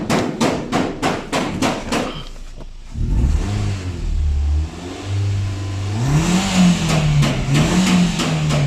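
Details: 2014-15 Nissan Sunny (Indian market), after intake and catalytic system flush for poor revving: a few sharp taps, then the engine revs cleanly and freely with no stumble or misfire.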